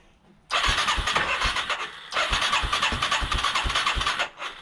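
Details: 1989 Yamaha Moto-4 350 single, first crank after budget rebuild, on starting fluid, with an exhaust leak; owner also suspects worn rings. Two bursts of even cranking at about three chuffs a second, never runs on its own.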